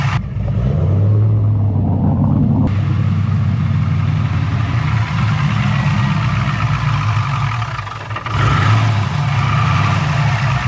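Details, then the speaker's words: LS V8-swapped Infiniti G35 on first startup after new MSD plug wires and a jump start: deep, lumpy idle with an uneven pulse and stumbles that sounds like misfiring; no codes stored, fuel delivery suspected. "Eventually the car started, but it ran like shit. And to be honest, I don't know why. It kind of sounds like it's still misfiring a little bit."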